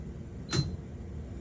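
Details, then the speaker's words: Water treatment control panel, chlorine pump switched to hand: a single sharp click as contactor C1 pulls in, and the panel then shows the pump-running feedback. Normal contactor pull-in. "And if we go to hand and I'm quiet, you'll hear the contactor pick up as soon as I touch the hand."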